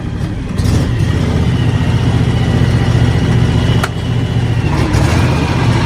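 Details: John Deere X724 tractor with 54" snow blower just started and engaged; steady low engine drone with the blower spinning evenly underneath, no knocks or grinding; blower and tractor running normally.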